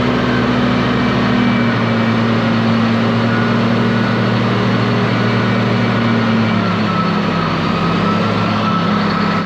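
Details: Low-hour (822 h) ex-US Army Cat D6R bulldozer diesel, bought inoperative, running after repair: deep steady idle drone with an even low rumble, no knocks or misses; zero blow-by, engine healthy, though a couple of hydraulic leaks were found.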